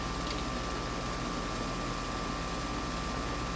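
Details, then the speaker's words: No-cooling call on an R22 outdoor AC unit, Schrader core in the service port found bad because it pushes its plunger out: steady even hiss of escaping refrigerant over faint fan hum; leak at the loose Schrader valve core, core to be replaced. "Oh yeah, we can even feel the pressure. So let's go ahead and pull the core out and look at it."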